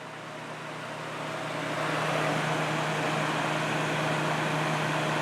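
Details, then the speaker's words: Kenmore dehumidifier, about six months in use since June, being cleaned and serviced in cold winter conditions: steady airy fan rush with a low hum and no compressor drone, as the de-icer has cut the compressor after sitting idle; the unit is attempting a hard restart. "that fan sounds great though want to try and do a hard restart it didn't slow down that much at all"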